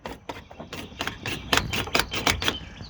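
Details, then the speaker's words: GMC truck door handle being worked: a quick run of dry, sharp clicks and clacks, with birds chirping behind. The latch mechanism sounds dry and stiff; the owner plans to lubricate it with wool wax or Fluid Film, but the cause is not confirmed. "just needs lots of wool wax or fluid film, and this thing will work like butter."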